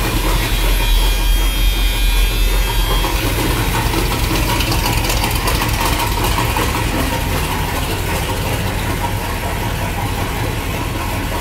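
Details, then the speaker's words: 1976 Chevrolet Corvette V8, customer says he blew up the engine at 120 mph; rough idle with a heavy, steady knock about three per second under the exhaust rumble, engine knocks pretty bad. "so we figured out together the engine does knock and it knocks pretty bad"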